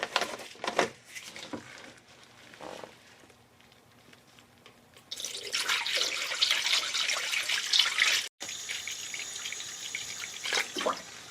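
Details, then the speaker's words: 1999 Acura RL with a cold engine that is not running, during a coolant replacement refill: irregular hissing, gurgling and trickling as trapped air escapes the bleed screw. "you can hear some of the air coming out of that bleed screw there you can hear it so i'm gonna keep pouring this grab some more coolant"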